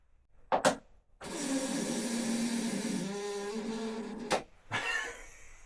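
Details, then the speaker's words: Snowmobile cranked on a questionable battery: the starter turns over sluggishly for about three seconds with a labored drone and never catches; owner suspects the battery and plans to check its voltage. Slow cranking. "Sounds like a really wet fart. It doesn't want to, is my expert's opinion."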